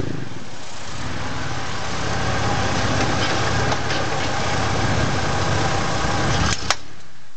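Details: 2001 Ford F-150 with some axle wrap: steady engine drone, then one sharp loud crack near the end; driveline clunk, owner suspects a U-joint.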